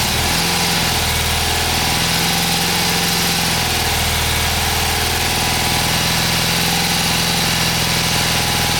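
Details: 1977 BMW R75/7 boxer twin, first start after restoration with fresh oil, timing set and fresh gas: catches and runs on choke with an even, steady beat, no knocks or rattles; healthy normal running.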